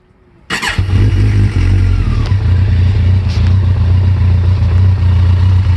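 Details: Kawasaki ZX14 starting and idling: loud deep idle with uneven knock about three to four per second; owner suspects a spun bearing on the number 3 piston, possibly the cam chain tensioner, not confirmed.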